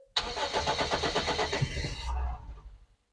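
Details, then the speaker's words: Daihatsu found sitting in a field, not run for many years, first start attempt after tightening battery leads: brisk even cranking about two seconds, then a brief low rumble as it catches; engine cranks and starts. "Oh my goodness, it's running."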